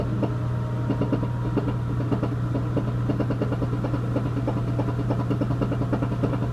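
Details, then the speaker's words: Four-year-old Whirlpool Duet WFW95HEXW2 washer on spin cycle: rapid uneven knocks, about three a second, over a low hum; owner suspects the rear bearings, which can't be replaced because drum W10409998 is welded plastic and can't be split. "so you heard the noise it's knocking I'm pretty sure it's the rear bearings and the drum number eight in this picture"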